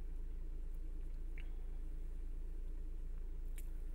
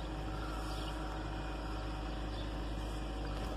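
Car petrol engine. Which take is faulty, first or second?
second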